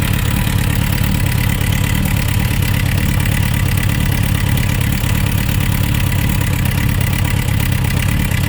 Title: Suzuki Rf900 Engine Knocking Sound Issues